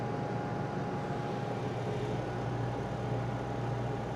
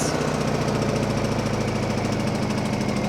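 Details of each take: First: Honda EU2000i generator after carburetor cleaning (previously ran only with choke on, voltage went crazy under load), running an Airstream air conditioner via Micro Easy Start: steady even drone, constant hum, no surging or hunting; running perfectly under load. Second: Honda EU2000i generator after carburetor cleaning, just started on choke, Eco mode off; slightly uneven, wavering beat with dips in the hum; running a little rough, maybe air in fuel.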